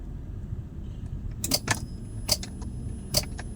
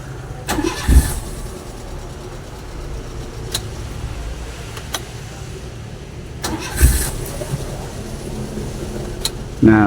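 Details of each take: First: Daihatsu Grand Max, ignition on with all indicators lit, sharp clicks with no cranking: starter engages but will not turn, likely from worn-out carbon brushes. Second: Daihatsu Grand Max after starter repair (worn carbon brushes, internals cleaned): brief crank catches quickly and settles into a steady low idle; starter normal again, previously only clicked.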